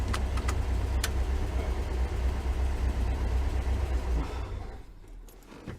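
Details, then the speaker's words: 1973 VW Thing, sat 20+ years, after front brake work: low even air-cooled thrum at idle with key and handling clicks, then fades; engine runs great, though brakes still need adjusting. "Well, the car runs great."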